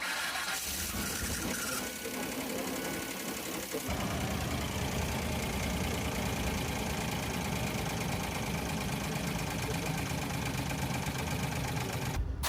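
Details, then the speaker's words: Van engine with a clanking noise from the top, heard looking into the doghouse after repair attempt: cranks and catches, then a fast light tick of three to four a second over the idle; owner plans to bleed air out to cure it. "Might still be making that sound, but I'm going to try all I can to get the air out of those."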